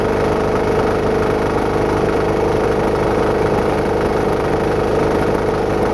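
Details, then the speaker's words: Homebuilt diesel-driven air compressor after new belt and flywheel setup, during test run; steady diesel drone with an uneven shudder about twice a second as the clutch vibrates and locks up instantly even at low RPM; clutch chatter, cause unknown. "know what's going on with that clutch but it like vibrates and starts engaging instantly Like You Hear It Go food it's vibrating and it locks up and engages instantly even if it's had really low RPM so there's definitely something wrong with that"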